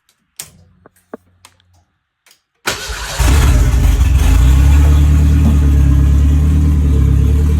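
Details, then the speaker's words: 1959 Mercedes body on an '87 Thunderbird Turbo Coupe chassis, after correcting the fault that had caused misfire and backfire. Brief crank, clean catch, then a steady even idle with no misfire, popping or backfire. Normal idle. "So the thing fires up perfectly, idles very well, purrs like a kitten, and it doesn't backfire or misfire like it was when you rev it up."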